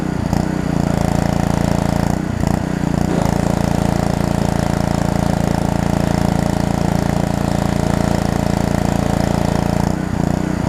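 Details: Pressure washer small engine, pumping water while washing: holds a steady, even chug of about three and a half beats a second under pump load, with brief dips; healthy, normal running under load.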